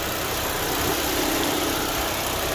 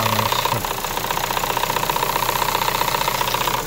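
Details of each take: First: Chevrolet Sonic 1.8 after replacing the faulty camshaft solenoid that caused ticking and cam codes: smooth, even idle with steady hiss, no ticking, idle no longer fluctuating, no check engine light or camshaft codes after road test. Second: Chevrolet Sonic 1.8 with fluctuating idle and camshaft codes (P0366), after new cam sensors were fitted; light fast ticking about four per second over steady idle.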